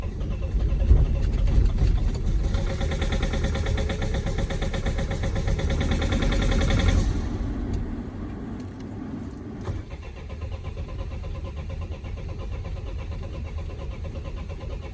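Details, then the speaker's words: Vauxhall Vivaro/Renault Trafic 1.9 dCi diesel after a runaway, fuel pump re-primed: cranks about four beats a second without catching, beats unequal. Owner suspects uneven compression across cylinders and thinks the engine is finished. "i do still think it's done for it sounds when it's turned over it's got compression on more cylinders than other"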